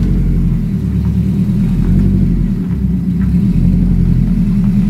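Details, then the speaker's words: Honda Civic (turbo project car) engine revving: steady, even low rumble with smooth rises as the throttle blips, no knocks or rattles; the engine sounds healthy and ready to go. "sounds all right. Sounds like it's ready to go back out and play, but..."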